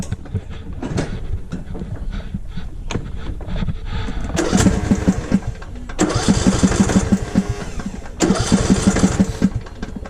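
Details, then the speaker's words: Lawnmower with a no-start issue, cranking in three bursts, starter churning evenly but engine never catching. "I've got a lawnmower here that will not run. It's got a no start issue."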